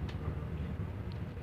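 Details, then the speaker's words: Wall-mounted Welhome fan motor powered on but stalled on a seized shaft: steady low electrical hum with no blade whoosh, too stiff to turn by hand; fixed by cleaning and oiling the shaft and bushing. "Hai setan coba menggunakan listrik Hai apakah masih ada getaran kita hidupkan dulu saklarnya ternyata getarannya ada"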